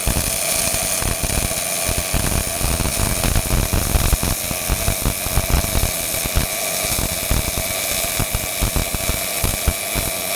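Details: Miller-Matic 251 MIG welder at 21 volts, 366 wire speed, welding pipe fittings: constant frying crackle with quick irregular pops, no gaps or sputtering; normal steady arc.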